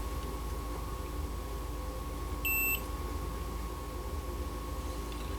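One steady high beep lasting about a third of a second over low room hum; the meter is showing a short on that pin.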